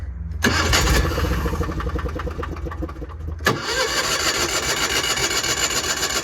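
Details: Equipment at a consignment auction, likely the Miller Bobcat 225 welder showing about 1600 hours: a brief crank, then it catches quickly and settles into a steady, even run with no knocks or misses. A healthy start.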